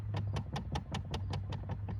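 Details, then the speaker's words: 2013 Dodge Charger under the dash: quick even ticking about five times a second over low hum from a failing blend door actuator; both sides bad, other side clicked louder and likely stripped. "that's that splendor actuator and that's quite it's quiet now but it i wish i could have got the other side really loud clicking"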